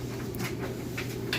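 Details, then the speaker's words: Whirlpool electric dryer on timed dry with a heavy load: steady motor hum with soft irregular thumps of the load tumbling, no squeal or grinding; nice smooth operation, normal tumbling. "listen to that. Sounds great. Nice smooth operation."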